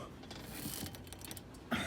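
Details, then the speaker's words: 2011 Audi A6 C6, front-wheel drive: dry crackling, grinding and ratchety ticks from the front suspension while turning the steering wheel, worse to the right at full lock; visual inspection found nothing, worn anti-roll bar links. "но при прокручивании руля очень хорошо слышно треск возможно видно стойки стабилизатора который народе называют яйца"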